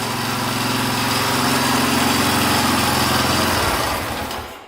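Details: 1982 Honda XL500R single-cylinder running for the first time in years after valve adjustment and carburetor cleaning; even, steady thump with no misses or knocks, then dies away. Loose spark plug had caused the no-start.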